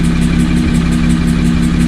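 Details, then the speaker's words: Car after a track day, intake checked and one cam position sensor replaced: a light, even tick about six times a second persists at steady idle. The cause is unknown; the owner plans to replace the other cam sensor. "all right as you can hear it hasn't changed it's still there at this point i don't i don't know um i have no idea what else it could be"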